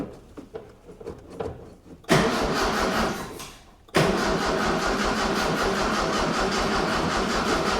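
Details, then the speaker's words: 1976 Mitsubishi Galant hardtop with 2.6 L Astron from a Sigma, after fuel squirt and accelerator cable connected: slow uneven two-second crank, then a brief catch that fades, proving spark; fuel pickup from tank uncertain; long crank, catches briefly. "I was just about to give up and go and get a a test light, but it fired. So, we know it's got spark because it just sparked just once."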